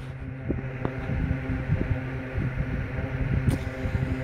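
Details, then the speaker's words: Westinghouse LivelyAire 10" model 10LA4 oscillating desk fan, circa 1960, single speed, cleaned: low steady hum with soft airflow, no rattle or scraping; runs very quietly and evenly, motor barely warms. "so i'm going to turn it on and it blows a lot of air oscillating very slightly"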